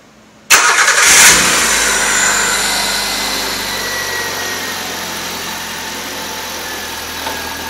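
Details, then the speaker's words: 1.3L four-cylinder from a 1999 Suzuki Swift (113,000 miles), on a hovercraft build with makeshift exhaust: fuel pump primes, engine catches at once and settles into a quiet, smooth idle with no knocks, ticks or squeals; normal start and idle. "so it uh starts up and runs really nicely it's very quiet even though I've got kind of a Dr rig exhaust on there right now it's also very smooth"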